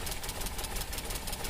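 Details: Maruti Suzuki Alto 800 running on CNG: rough, vibrating, misfiring idle with a quick tak-tak ticking from a faulty CNG injector; unplugging that injector's coupler stops the tick but the vibration is unchanged.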